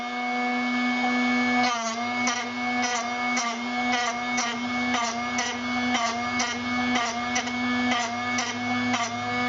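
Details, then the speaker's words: Drill Doctor 750X sharpener on a worn drill bit: steady motor whine with light scraping strokes about twice a second, grind fading and barely cutting; bit almost sharpened. "Barely cutting anymore. That's probably about done. Yep, that's probably about done."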